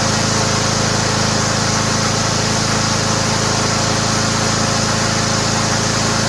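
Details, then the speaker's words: Toro Recycler mower rebuilt from three broken ones with a Honda engine modified to fit, oversized belt so self-propel disabled; steady, even engine with bright blade whistle, no misses or knocks: normal running. "Sounds great. That's a good engine, man."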